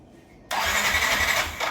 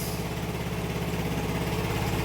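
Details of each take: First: Yamaha NMAX V1 scooter, unused about a month, 105 km on the odometer, battery 12.2 V, no check engine light; high starter whirr about a second and a half, never catches. Crank no start, later found to be a clogged fuel injector. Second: Yamaha NMAX V1 scooter after the no-start from a clogged fuel injector was fixed and its wiring repaired: it starts and settles into a steady, even idle with a smooth low putter, no misses or knocks.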